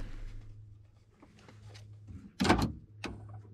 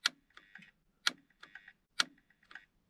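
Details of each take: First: 1997-2001 Honda CR-V after installing a used replacement power door lock module: a faint hum, then a firm clunk and a shorter second clunk; the locks now open and close normally. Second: 1997-2001 Honda CR-V central power door locks, tested after reconnecting the battery: locking works but unlocking fails; three sharp clicks about a second apart with no actuator movement; switch signal arrives, circuit board in lock suspected.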